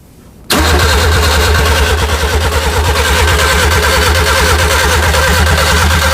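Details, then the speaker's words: Classic Mini with a Nissan engine swap: the starter churns steadily and fast for six seconds but never catches; no start because the engine earth straps were not connected. "that's not going is it no did you put the distributor in what about the earth oh no we didn't do the Earths we didn't it's not going to run is it"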